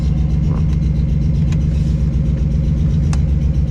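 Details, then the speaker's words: 1996 Toyota 4Runner bought not running, idling with the exhaust open: heavy rumble with a faint, uneven tick a few times per second. Owner hopes it is the exhaust rather than an engine knock; ticking at idle, cause unconfirmed. "Here, it sounds like it kind of has a tick or not. Like the tick, tick, tick, tick, tick. Yeah. But I'm pretty sure it's the exhaust."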